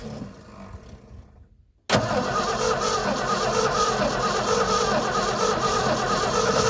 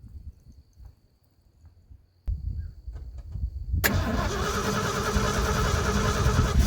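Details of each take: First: 1980 ramp truck, 351M V8, sitting ~25 years: quiet cranking, catches at about two seconds and runs rough before revving, running only on brake-clean starting fluid; smoky, rings probably stuck from sitting; oil pressure reached 70. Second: 1980 ramp truck, 351M V8, sitting ~25 years, after hooking up fuel pump, with choke: short crank, catches and settles into a steady, even idle that grows slightly stronger; sounds pretty good.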